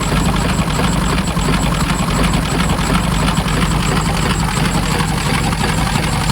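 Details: 1923 Cadillac Model 61 flathead V8 tow car, running a little better after repair work: steady, even low idle with a soft regular pulse, about ninety beats a minute, no knocks or misses; normal idle.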